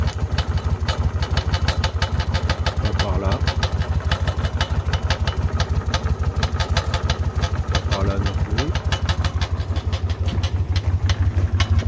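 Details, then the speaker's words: Car at idle after the tensioner was replaced: sharp regular clacks about three per second over a low rumble, seeming to come from the exhaust side; source not pinned down, cause unconfirmed. "et ici le claquement de ce côtélà du pot d'échappement"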